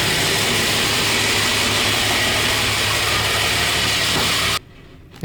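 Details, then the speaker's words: 1965 Mustang project car at idle: loud harsh clattery rattle until abrupt shutoff; noise went quiet, then returned; owner doubts the flywheel and suspects a bolt rattling inside the motor, cause unknown; loud engine rattle at idle. "It's great, the noise is back. Sounds like a bolt that's rattling around inside of the motor."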